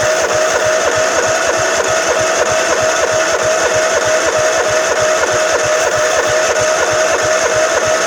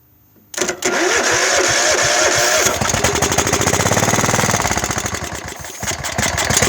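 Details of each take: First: Craftsman LT1000 mower with 15 or 15.5 hp Kohler engine, sat about five years, cold start: starter whirs with steady whine and even compression strokes about 194 a minute, never catching; crank no start, no spark. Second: Craftsman LT1000 mower, 15 or 15.5 hp Kohler, hydro, sitting about five years, cold start on carb cleaner without fuel tank: few cranking beats, then catches and runs fast and even, clean firing, no misses; normal starting and running.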